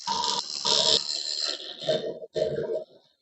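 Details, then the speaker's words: Wood lathe roughing a spindle: rough, buzzing bursts of cutting, tool chatter from the tool vibrating; fix is to hold the tool down tighter on the rest. "all right you hear that chatter that's your to Vibrance thing so just keep that down a little tighter on that"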